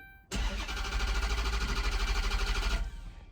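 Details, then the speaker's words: 2013 Dodge Charger, before fuel pump replacement: steady starter cranking about three turns a second, even with gas pumped, engine never catches or fires; owner blames a failed fuel pump; crank no start. "you see that it will not crank it will not crank up sir no matter what you do you pump the gas hey [ __ ] it give it a little time"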